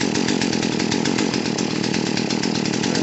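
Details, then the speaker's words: Poulan P3314 chainsaw after carburetor (HIPA aftermarket) and fuel line replacement, choke off: slow, lumpy two-stroke putter barely holding idle, about ten beats a second; idle speed set too low, adjusted up until chain doesn't move. "that sounds about right idle's a little low"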